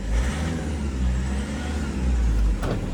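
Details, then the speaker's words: 2010 Toyota Innova, complaint of heavy engine noise entering the cabin at 60-70 km/h in 4th/5th gear: steady low engine drone loud inside the cabin, leaking through the torn lower steering column boot. "ആ സ്റ്റിയറിങ്ങിൻ്റെ column താഴത്തെ ബൂട്ടാണ് പൊട്ടിയിരിക്കുന്നത്. ആ boot പൊട്ടിയിട്ടാണ് അവിടെ നിന്നാണ് ആ sound എൻജിൻ്റെ ഉള്ളിൽ correct കിട്ടുന്നുണ്ട്."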